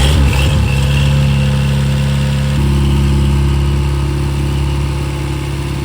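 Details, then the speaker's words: Restored 6.5 kW gas Kohler genset after water pump repair with new homemade gasket: steady even drone with a smooth step up in speed, no roughness; running and cooling as it should. "So we got the water pump problems fixed, all the water pump. The thing is running like it's supposed to, cooling like it's supposed to."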